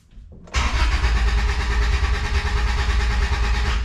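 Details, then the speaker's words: Honda Civic after cap and rotor work and new brakes: starter cranks steadily about three seconds but engine never fires; suspected incorrectly installed cap and rotor or no fuel. "All right, so slight issue. Car cranks but doesn't start."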